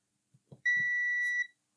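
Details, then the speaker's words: Multimeter continuity test on the 5 amp fuse of a faulty Vicks humidifier that stopped working after cleaning: a clean, steady high beep under a second, so the fuse is good. "and the fuse is good. Let's plug it in."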